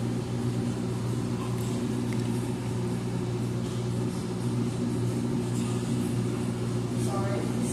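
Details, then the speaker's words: Amana front-load washer in diagnostic mode, empty load, spin test at what seems top speed, after the medium-high accelerometer test: steady hum, smooth low drone, no knocking or scraping; normal high-speed spin. "I think that's probably our top speed right there, so I'm not gonna let it run for a long time, so I'm gonna advance to the next test."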